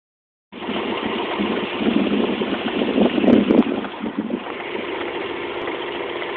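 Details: Rover 200 1.4 petrol engine idling with a faint, uneven knock ticking through at about three to four beats a second.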